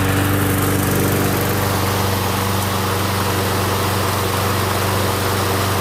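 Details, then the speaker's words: Steady, even putter at fast idle with no misses or knocks from a Briggs & Stratton Quantum engine on an MTD Gold mower after a broken pull rope was fixed; runs normally, though self-propel is intermittent, possibly from stripped front wheels. "all right runs good um just need to figure out what's wrong with that self propel"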